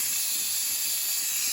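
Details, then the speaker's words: Nuwave 13qt electric pressure canner after canning bacon ends, release valve turned by hand: continuous high, airy hiss with no low rumble, steam venting steadily through the opened valve; normal pressure release. "So my head's not over it, but I am going to put a towel around it, and I'm going to turn it to release the steam."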